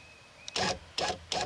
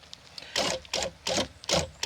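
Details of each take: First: 1999-2007 Chevy Silverado GMT800 rear window regulator after replacing an incorrect previously installed one, tested key on: short, clean motor whirs starting and stopping crisply, no grinding; working fine. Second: 1999-2007 Chevy Silverado GMT800 2500 HD rear door window regulator, incorrect part previously installed, being replaced: short buzzing motor runs with harsh rasping scrape as regulator sits below and interferes with internal door bracket.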